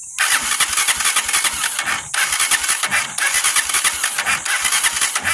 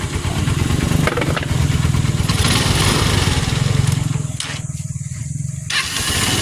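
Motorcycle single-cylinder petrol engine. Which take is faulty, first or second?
first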